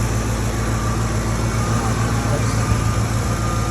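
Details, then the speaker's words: Ford F150 V8 at idle, hood open, just after new catalytic converters fitted and a missing exhaust bracket refitted (one clamp still loose): low, even rumble with steady beat, no misses, knocks or exhaust rasp; normal healthy idle. "Oh, listen to that girl hum. Sounds nice."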